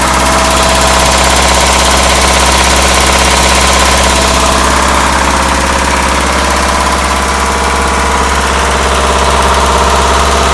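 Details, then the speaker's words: Weber-carburetted truck after priming with the added electric pump, which shuts off at start to leave the mechanical pump running: starts right up with good oil pressure and settles into a steady, even idle with no knocks; normal idle. "and there it is it starts right up your oil pressure is good so that means it don't have a ground"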